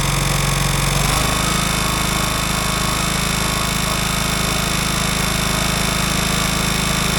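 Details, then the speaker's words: Craftsman DLT 3000 riding mower: engine runs at a steady fast beat with a rough chatter and faint ring. The owner suspects a poor starter Bendix and plans to swap the starter; cause is unconfirmed. Abnormal noise while running. "right. So, it is making a little bit of a weird noise."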